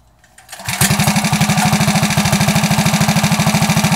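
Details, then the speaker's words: Coleman CT100U minibike with ported jet, new air filter and a new muffler on the header pipe: engine catches and settles into an even quick putter with no rasp or rattle, much quieter than before. "I wrote it around the neighborhood it is substantially a lot quieter it's not so annoying like it was before"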